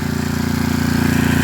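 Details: Coleman Powermate 6250 generator, second pull, bolts replacing baling wire, load to be added: steady, even single-cylinder thrum at constant speed with no misses or knocks.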